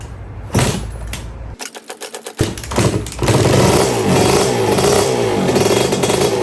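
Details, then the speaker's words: 1982 Suzuki RM125 two-stroke, freshly restored engine on first test run (cooling water issue noted for later): sharp crackle after handling noise, revs climbing and holding crisp and even; engine sounds really good. "Sounds good. That's bike number 1. That engine sounds really good."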